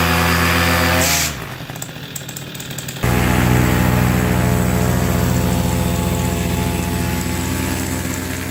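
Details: AC Nitro 200 with a steady, even buzzing engine note that drops away briefly, then returns and holds; buzzing noise, cause unclear.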